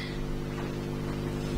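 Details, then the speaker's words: DIY parametric EQ circuit built to improve headphone sound, with open, unshielded wiring: a constant low buzz with steady stacked tones from mains interference that the exposed circuit picks up from everywhere. "I know there's a little bit of buttoning in the background there's not much I can do about that mess simply because it's all out in the open and it's picking up interference from everywhere so"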